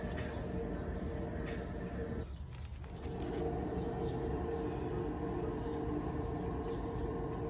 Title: The Unbearable Noise of a Bad Wheel Bearing